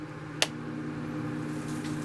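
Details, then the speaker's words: Shop-built cyclone dust collector after an upgrade from a 1 HP AC motor to a 2.5 HP DC motor with a Harbor Freight speed controller, switched on at lowest speed: switch click, then smooth, steady low hum with no rattle or rubbing, starting better than before. "It already starts better than my other."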